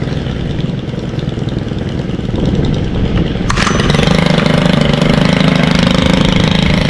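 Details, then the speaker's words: Stihl FS91R string trimmer, unused since December with fuel stabilizer added: it catches about halfway through, then settles into an even, steady two-stroke buzz with no misses. A healthy start and idle after winter storage. "These haven't been ran since December, and it still will crank up if you take care of them."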